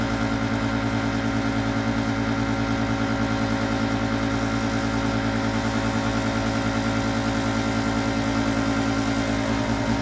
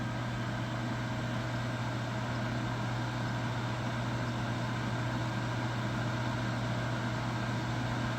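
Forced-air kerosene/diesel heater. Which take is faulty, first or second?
first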